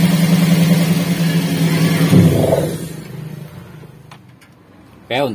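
Even, smooth engine note that rises cleanly with the throttle and settles back without stumbling or misfire; running on all cylinders.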